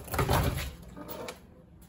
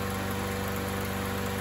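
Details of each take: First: MTD 21-inch push mower, 140cc engine, sat a couple of years; after reinstalling a part by hand, it runs a little better only with carb spray: sputtering catches, rising steady rev, then fading; runs only on starting fluid, fuel delivery suspected. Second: MTD 21-inch push mower, 140cc single-cylinder engine, revived after sitting a couple of years, air filter not yet cleaned or oil changed; after carb spray priming it holds a steady, even buzz with no misses, surging or knocks; running normally.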